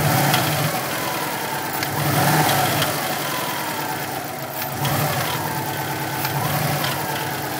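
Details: 2002 Subaru WRX, 176,xxx miles, replacement EJ20 engine of about 70,000 miles, untuned, with cat-back exhaust, intake and BOV mods: dull, rhythmic, fairly loud knock at idle; owner suspects the turbo or a spun crank bearing.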